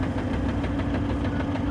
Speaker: yeah yeah is i put the foot on the clutch it stops